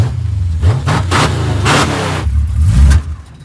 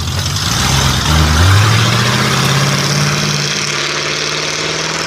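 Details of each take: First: oh and we need to put a sorter in the carburetor to make that stop happening Second: 1940 Ford Fordor sedan with small-block Chevy V8 and Turbo 350 automatic: throttle blip then strong even idle, no knocks or misses; runs really good, normal idle.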